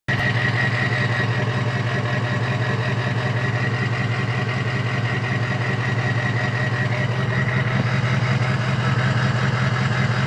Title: is this stiction or bad injectors??